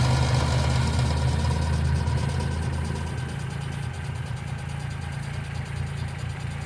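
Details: 1995 Geo Metro at idle: a fast, light ticking at about four per second rides on a steady low idle, consistent with lifter tick.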